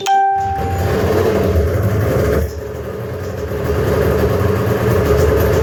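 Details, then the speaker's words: 1997 Arctic Cat Thundercat 900 two-stroke snowmobile, faulty throttle safety switch bypassed with a jumper wire: fires up almost at once on first try after a brief tone, then holds a steady, even idle with a small rise in revs. "first time started fairly easy never really puts up a fight which is good"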